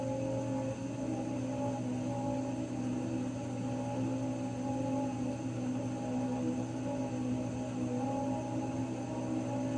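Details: Raypak 106A heater: a steady, droning whine with several fixed tones throughout; whining again, cause not yet pinned down.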